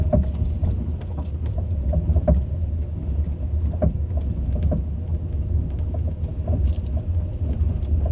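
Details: Ford Focus 2 driving over bumps: irregular dull knocks and light rattles over low road rumble, front-end looseness, suspected steering rack knock.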